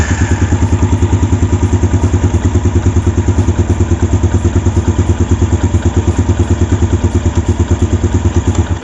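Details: Yamaha Jupiter Z1 motorcycle at idle: fast, even tick about three a second over the engine beat from left side of engine; loose cam chain tensioner causing the ticking.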